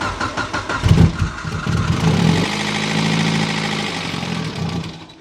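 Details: Mitsubishi Evo 8 turbo four, first start at night after rebuild following a melted, leaned-out piston: short crank, clean catch with a quick rev, then a smooth steady idle with no knocking or ticking. Healthy start.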